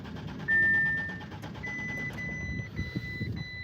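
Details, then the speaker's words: Audi with about half a tank of fuel and a brake malfunction warning: steady fast cranking churn with a dash chime, engine never catches; cranks without starting, cause unknown. "So I mean, it sounds like it wants to start because you could hear it, and I want to say we got gas in it because we got like half a tank of gas right here."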